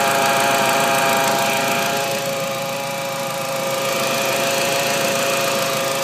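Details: 1.8T turbo petrol engine: a steady high whine over the idle that holds as revs change; the power steering fluid was checked and topped up, and the cause is unknown.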